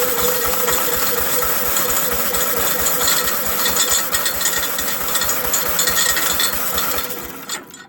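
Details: Gravely, starter sprocket just fixed, PB Blaster applied: fast, uneven metallic clicking about four per second as the starter ratchet catches and slips; engaging better, rattling from nuts.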